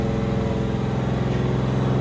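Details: Doug Rippie Motorsports LT1 383 stroker on an engine dyno (1995 Corvette origin, 4.040" bore, flat-top Mahle pistons, EFI), idling before the first pull: a deep, steady, even burble with no skips, no missing and no smoke. A healthy idle.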